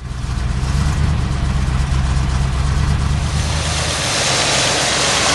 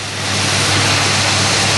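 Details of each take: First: 1978 Oldsmobile Cutlass 403 V8 at idle after sitting 15 years, running on about seven cylinders with an uneven stumbling lope; earlier knocking gone after distributor replacement, owner unsure if piston slap or distributor: engine misfire, one cylinder dead. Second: 1978 Oldsmobile Cutlass 403 V8, slightly cold, starts right up and fast-idles evenly with no knock or clicking after distributor and arcing cap replaced (borrowed plug wires); earlier suspected piston slap was likely distributor noise, still possibly missing.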